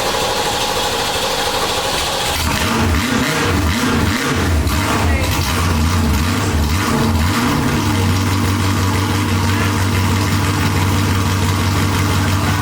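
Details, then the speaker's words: 1967 Ford Mustang V8 with side pipes, first start after a transmission repair and four months unused. It fires up and settles into a deep, steady, lumpy idle; normal start and idle. "I haven't driven this thing in four months I'm actually really excited punch feels good she sounds good"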